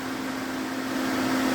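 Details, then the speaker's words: DA Integra electric cooling fan on a new 30A relay triggered by the factory OEM fan switch, heated switch: steady even whoosh, constant mid hum, no rubbing or rattle; fan runs properly. "and as you can hear the fan is now on it's working working like it's intended"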